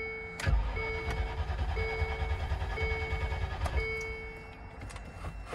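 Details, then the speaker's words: 1999 Land Rover Discovery II bought as a non-runner, battery believed very dead, on jump box with ether sprayed: starter churns steadily under a repeating warning chime, never fires; crank, no start, warning lights still blinking. "oof well that's a crank no start you still got all the blinking things there"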